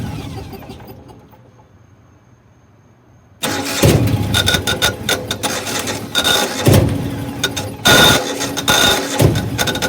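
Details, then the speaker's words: Generac (Centurion) 8.5 kW natural-gas standby generator, about 15 years old, with regular oil and spark-plug maintenance, on manual start: the starter grinds in repeated uneven bursts but the engine never catches. Cranks, no start. "i'll do a quick switch of the manual start and you'll hear what it's doing i'm hoping somebody can suggest something that i should try here we go"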